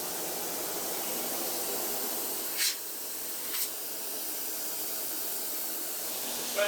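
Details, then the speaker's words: Kenworth K100 cabover with CAT 3406B, not driven in 25 years, building air to about 90 psi; steady sharp hiss from one hole in an air line, a big leak to be fixed with a union, still builds pressure. "got a big leaf here one hole in a line so i missed that i'll put a union in there"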